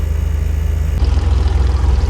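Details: Converted double-decker bus diesel, warmed up after starter motor removal and repair, batteries recharged: deep, even chug at a steady beat with no knocks or misses, normal idle.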